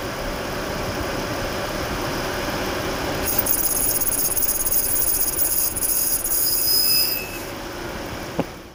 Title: Jaguar Clutch making noise